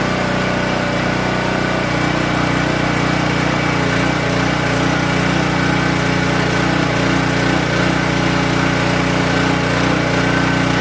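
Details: King Canada 3000W generator after capacitor replacement and a new air filter setup, started before load testing with a 1,500 W heater and 8.5 amp saw: steady, even drone at constant speed, no surging or hunting, running normally.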